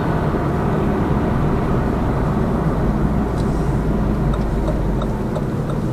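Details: Lada Vesta Cross with AMT 2.0 robot gearbox, fully loaded, cruising on rough road; head-mounted action camera. Steady tyre and road roar, only faint light clicks over joints, no heavy thuds; suspension quiet after shock absorber strut replacement.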